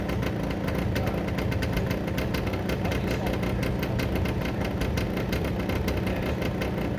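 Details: Derbi 100cc two-stroke after carb clean, airbox refitted, fresh premix fuel, choke left on: choppy, uneven putter with irregular popping and stumbles; over-choked, spark plug found very wet and dark (fouled), later cleaned.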